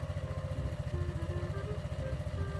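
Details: Honda PCX scooter idling after CVT reassembly with genuine rollers, drilled lightened, to fix a loose slider clip; even, steady single-cylinder putter, no rattle, clatter or roughness from the belt drive; normal idle.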